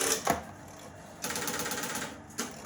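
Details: Telephone exchange with line finders on level five, being dialed to number 52 while Divert-A-Call tape loop machines are plumbed in: quick dry clicking bursts and short ratchety stepping runs with pauses between; the selectors step normally as digits come in.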